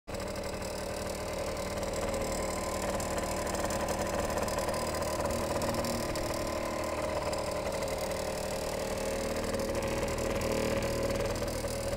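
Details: Suzuki SJ50QT scooter at idle with flat rear tyre: a light, quick tick about four per second from behind the engine cover on the belt-drive (CVT) side; ticking seems to go away with some revs, cause unknown.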